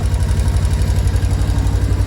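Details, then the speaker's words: Yamaha Tri-Moto three-wheeler, long-sitting, after fuel service, oil change and valve adjustment: crisp, evenly spaced single-cylinder beat at steady idle, no knocks or misses, running cleanly. "pretty quick too very nice shift perfect ritz perfect sounds amazing"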